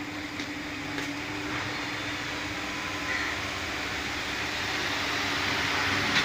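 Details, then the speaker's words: Pedestal fan after repairing a noise fault, with a blade-area part that had come loose refitted: a smooth airy rush with a soft steady hum and no rattling or ticking; the fan now runs quietly. "है तो आप देख सकते हैं दोस्तों इसमें किसी तरह की कोई आवाज नहीं है"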